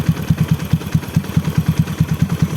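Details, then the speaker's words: Honda Supra X bored up to 140cc, stock PE26 carburetor jetting, air screw 1.5 turns out, open filter, idle: steady low putter at about seven beats a second, even with no misses or stumbles; idle is healthy. "Nah, ini kondisi langsam ya. Kondisi langsamnya nggak pincang, nggak nyendat, aman banget."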